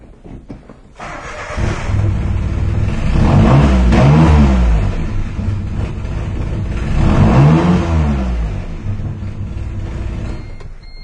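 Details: 1996 or 1997 Geo Metro three-cylinder with a cranking no-start, started after refitting a relay and 15 A fuse, fuel pump heard running; cranks briefly, catches and revs up, then holds running with no misses or stumble; normal start and run.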